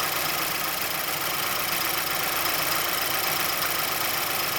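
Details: 2006 Mazdaspeed6 idling a minute after a cold start, under Special Service Program 87. A light, quick tick of about four per second comes from the timing chain area inside the engine bay. A VVT or chain fault is suspected but not confirmed.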